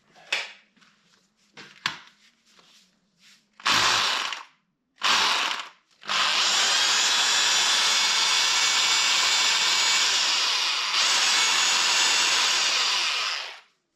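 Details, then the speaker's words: 2007 drill after fitting a replacement part; short trigger bursts then a long smooth high whine at steady pitch without stutter; drill motor fixed and running properly. "23 bucks fixed it up it will leave another day until I burn it out again"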